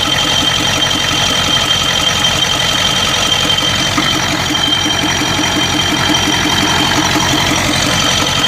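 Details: 1992 Ford 7.3 IDI diesel at idle, rough and uneven with irregular knocks and a stumbling beat. The random misfire and blowby come and go. Teardown found the second ring broken in half on two pistons, plus one bad valve guide.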